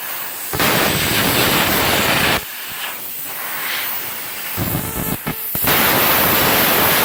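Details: CUT50 plasma cutter using welder's earth lead (fixed earlier barely-touching problem): harsh hissing, popping arc bursts starting and stopping unevenly; arcs and melts metal and consumables instead of cutting cleanly, cause unknown.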